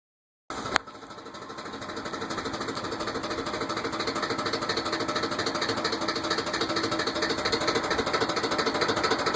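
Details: Ford F-150 at idle: a steady sharp ticking knock about twice a second over the engine hum. Owner suspects rod knock, unconfirmed.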